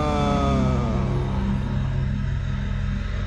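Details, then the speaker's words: 2016 Mitsubishi Montero Sport diesel at idle after push-start repair, check engine light on: slow heavy lazy chug around 600-700 rpm with slight unevenness; idle speed too low. "Kaso ang problema ayan may check engine tapos napakababa ng menor. Ang baba ng menor niya oh."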